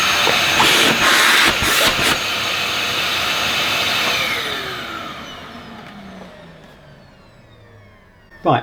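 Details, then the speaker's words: Dyson DC21 Motorhead canister vacuum, received damp, first power-up: smooth high motor whir with no rattle or scrape, then even falling whine on spin-down; motor sounds healthy. "think that sounds okay personally that motor"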